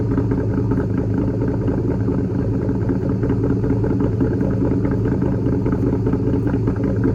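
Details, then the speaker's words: 2004 Ford Mustang Mach 1 V8, stock exhaust with Borla catback, cold start after sitting all day: deep, even rumble at a raised, steady fast idle that drops as it warms. Normal cold-start high idle; lean code is logged. "but typically with the the cold start, it idles high. As it starts getting up to temperature, it falls down on RPM and the note comes down a little bit, but it's got a a very nice tone to it."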